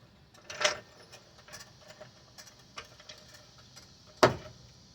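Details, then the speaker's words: Mazda 5 with replacement front subframe: two sharp pops a few seconds apart as the car is lowered on the jack, from a gap at the subframe mount; non-OEM-spec bushings don't allow bolts to take up slack, washers only partly help. "That's what the popping noise is."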